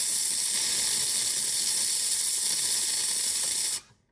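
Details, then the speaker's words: JURA Z6 coffee machine making milk foam with the hose in the milk container: harsh, spitting steam hiss with irregular crackle, then silence; sputters and draws no milk, possibly from a worn milk foam nozzle behind the spout. "So for example, if we just want to make a milk foam, we have the milk hose connected to the milk container, and let's see what happens. Instead of foaming milk, it's going to sputter."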